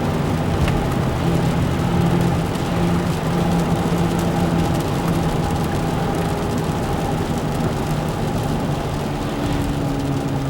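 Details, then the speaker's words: Car driving slow then speeding up: steady low drone from the front over road noise, pitch shifting with speed; worn front wheel hub bearing, passenger side grinding with flat spots, both hubs replaced. "So I got a noise in the front of the car. I'm pretty sure it's a hub. I'm hoping the recording here will pick it up. I'm gonna go slow and speed up, and you should be able to hear it change."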